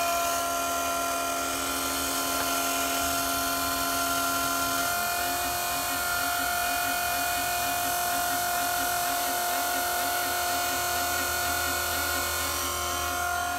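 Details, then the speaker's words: Cummins 5.9 diesel truck after fuel filter change, key on without starting: steady electric hum with a faint even pulse about four per second until it shuts off; lift pump priming normally. "so that'll run now and here it shut off so it should be primed"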